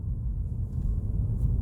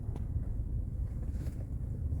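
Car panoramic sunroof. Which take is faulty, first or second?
second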